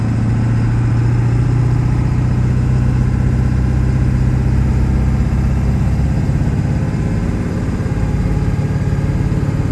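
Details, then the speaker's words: 2000 Ford F-350 dually 4x4, 7.3 Powerstroke diesel, six-speed manual, 71k miles, fully serviced, accelerating uphill through the gears: deep, steady drone, no chirp, grinding or shudder; engine and gearbox healthy. "we'll head up the hill here the 7-3 run as well as the six speed through all the gears and here for yourself how it doesn't chirp grind or have any issues at all"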